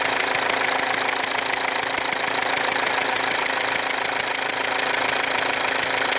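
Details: Mercedes W204 diesel with a leaking injector: sharp, rapid ticking about 230 a minute with a hissing whistle over the idle, and burnt-on diesel residue around the leaking injector.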